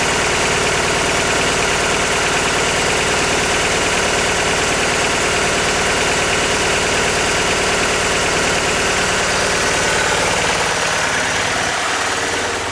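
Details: 1999 Mitsubishi Eclipse idling with uneven, stumbling beat about three pulses a second over a steady buzz, like a cylinder dropping out; misfire at idle, cause unknown.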